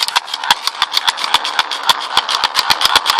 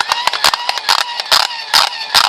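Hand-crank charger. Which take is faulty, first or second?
second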